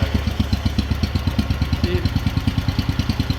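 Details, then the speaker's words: Fully warm Wheel Horse 857 single-cylinder, no choke, restarted after two years' storage: loping thump about eight beats a second, slightly uneven, running really rich with puff of black smoke on start and throttle; owner suspects carburetor, possibly rubber float needle needing replacement. "see that and when I step on it it'll blow out some black smoke too so I think the carburetor needs a little bit of work"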